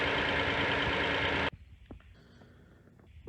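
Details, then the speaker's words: 2007 Hyundai Santa Fe Limited 3.3 L at idle: the loud rushing hiss cuts out, leaving a quiet, even idle with only a few faint scattered ticks, after the bad generic purge control valve was replaced with an OEM Hyundai one; ticking stopped. "but now that i replaced it with this um oem hyundai one the noise has stopped"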